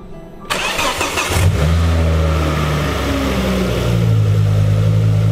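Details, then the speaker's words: Ford Focus ST first start after turbo refurbishment, cam belt replacement, major service and bigger intercooler: cranks, catches quickly, short rev, then steady even idle with no knocking; sounds good, normal start and idle. "whoa whoa this is where it just seizes now [Music] it sounds good"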